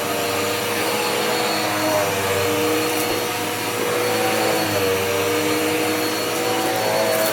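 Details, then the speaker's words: Dirt Devil Powermax upright vacuum after clearing a clog: steady, even motor whine with smooth airflow rush, no surging; running normally. "let's see this is what it sounds like now much better"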